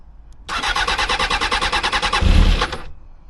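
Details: Barn-find Honda CBR600F4i, stored for years, first start attempt after fuel tank rust cleaning, pump primed, clutch in: starter spins in quick even pulses for about two seconds with no firing, then drops off; cranks but won't start.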